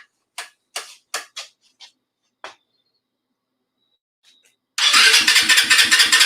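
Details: Engine with factory exhaust refitted, low on fuel before refuelling: several short, spaced cranking bursts with quiet gaps, then it catches into a fast, even idle; long cranking before start, probably fuel-starved.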